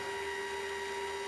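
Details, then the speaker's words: Light-sensing chicken coop door closing, driven by a 12 V battery-powered linear actuator (225 lb force) after the light sensor is covered to simulate sundown. Quiet, constant mid-pitched motor hum with no grinding or stalling; working normally. "As you can hear the door, you can probably hear the door starting down. It doesn't move fast, but it moves."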